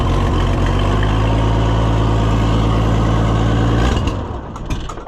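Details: Oliver 1655 diesel tractor after starter replacement: cranks much better, catches and settles into a steady, even low rumble for about four seconds before shutdown; normal running.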